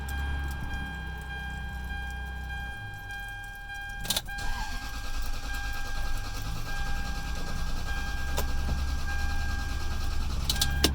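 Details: 2003 Toyota Sequoia after valve gasket replacement and ignition switch repair, ECU and immobilizer replaced, security light flashing: several seconds of steady starter churning with a thin warning chime, no firing at all; crank no-start.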